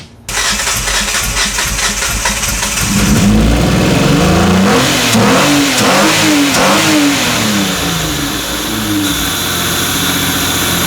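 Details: 2005 Kia Sportage 2.7L V6, badly overheated from a leaking water pump, seemingly with compression on only two cylinders: cranks on brake-cleaner spray with throttle held wide open, catches and revs unevenly, surging and sagging without settling; rough running.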